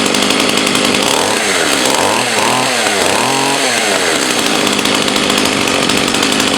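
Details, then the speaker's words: Partner Formula 60 Plus 49 cc two-stroke chainsaw after restart, carb high/low adjusted by feel; note sags, dips and recovers over seconds; unstable falling idle, owner unsure why, suspects low needle needs more fuel, also suspects slight crank seal leak. "Maybe it's going down a little on idle. I'm not sure, and I'm not sure why, if that is the case. Maybe it's just need a little bit more adjustment on low, give it a little more fuel"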